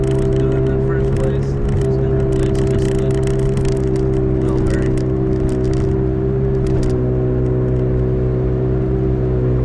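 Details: 2005 Toyota Matrix AWD, camera in back at speed: steady even-pitch airplane-like howl over road rumble; owner suspects a rear wheel bearing, driver or passenger side uncertain, both already replaced once; unconfirmed.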